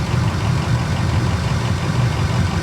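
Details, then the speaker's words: Rough-condition diesel truck at a dealer auction, low on fuel, just started: steady low diesel idle with even clatter and no misses or odd knocks; it runs fine. "It sounds like it runs fine."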